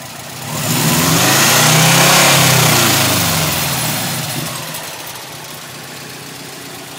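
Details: Subaru Legacy GT, heard underneath the car after a thumping noise complaint. Engine revs up smoothly and settles back to an even idle with no thumping underneath; runs normally.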